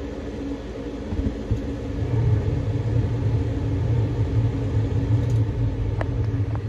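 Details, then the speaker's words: Carrier 90-plus high-efficiency condensing gas furnace, 2006, likely never maintained, no-heat call at six degrees outside, fault code 32: inducer gives heavy uneven low rumble and drone, rougher than it should, called trash; capacitor weak; noisy inducer motor. "weak tighten this up this thing's trash though it's in bad shape this is 2026 it's not sounds like trash"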